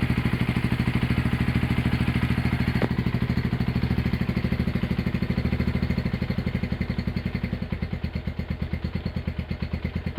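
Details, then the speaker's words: Honda GL100 (GLK 100) engine from Palembang after restoration, with CDI installed, a new tensioner blade and idle raised: an even, steady single-cylinder putter that eases slightly toward the end, no knocks or ticks. Runs healthy. "Oke, itu dia hasil E peremajaan mesin Honda GL 100 CDA ya dari Palembang."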